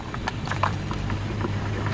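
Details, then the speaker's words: Centrix PF20 stand fan, slow to start and noisy: low motor hum with a few small irregular knocks as the fan head is rocked up and down (none side to side), suggesting worn front or rear motor bushing. "may lagatok na konti sa pataas pababa. Ayan tapos pakaliwa pakanan wala pataas pababa. Ibig sabihin sa harap o sa likod na bushing posibleng may sira."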